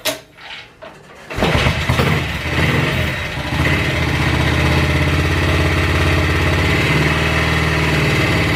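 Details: BSA 441 single, totally cold, after cleaning water and sediment from the Amal carb float bowl and adjusting mixture screw: starts after a second of kicking, settles into a steady thumping idle without hunting.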